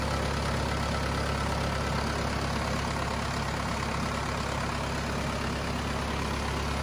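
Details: Cummins 4BT diesel in a Power Wagon, first run since 2015, temporary battery, 8 psi fuel pressure, not hot; steady even low rumble at idle, no knocks, misses or hunting: normal healthy idle.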